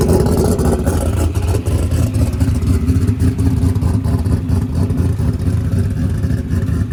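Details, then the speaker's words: Ford Coyote V8 with 107mm turbo after correcting base fuel pressure (system assumed 90 psi) and adding a little fuel for the new injectors; deep steady roar swelling cleanly with each throttle blip, more responsive, normal revving. "so once I corrected that and added just a little bit of fuel it seems like it's a little more responsive"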